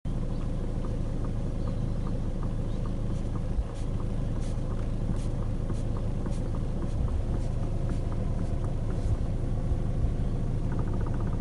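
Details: 2012 Hyundai i40: faint sharp ticks about once a second from the steering over low car rumble; coupler already replaced but clicking remains, source unknown.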